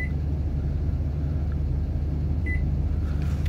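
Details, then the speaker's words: AIMS 12V 4000W pure sine wave inverter charger in auto standby, installed in a mobile setup: steady low hum with a short chirp as it pulses about 6 amps every few seconds to search for a load; normal. "that's about 6 2 amps so it pulses about 6 amps every 3"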